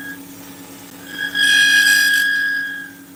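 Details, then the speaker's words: Woodturning lathe: sharp rising screech for about a second as the cutter bites; chatter from a dull carbide tip that needs swapping. "I imagine that this tool Hey Kevin I imagine that this tool probably needs a a Switcheroo on the uh on the carbide yeah look at that chatter awful awful"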